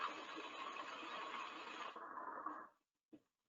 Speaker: sounds like rock literally like rocks going through the pipe and again we caused it by dropping too low over pressure causing flashes to occur and when the pressure rises again the bubbles collapse